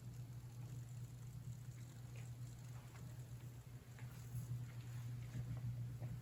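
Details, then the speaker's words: NWSL Stanton O scale drive after motor break-in, deburred bushings and adjusted axles, at lower voltage: quiet, steady low hum with no clatter, much slower and quieter than before; normal smooth running. "Much slower and much quieter. lower voltage I think lower amperage too."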